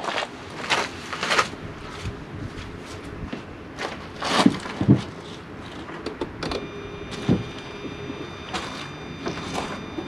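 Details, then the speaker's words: Ford, engine off, wheel steered left and right: irregular dull knocks and clunks from the front left, owner suspected the strut bearing; service confirmed a bad strut bearing, and both were replaced. "there that's knocking [Music] okay this is few days after had the car serviced and it turns out I was right it was a bad strut bearing"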